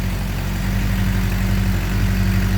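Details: 2007 Suzuki GSX-R 600 after electrical, water pump seal and freeze plug repairs, barely started on a weak battery: deep, even idle pulse with a constant beat and no knock, miss or rattle. Runs smoothly.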